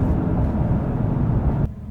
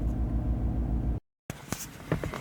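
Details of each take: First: Chevrolet Silverado 1500 V8 after repair of a recurring cylinder 6 misfire with rough start and no power; smooth, even low rumble with no stumble; normal running. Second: Chevrolet Silverado with cylinder 6 and random multiple misfire codes, check engine light on, no power: low idle loping unevenly with a stumbling thump about three times a second, one cylinder dead.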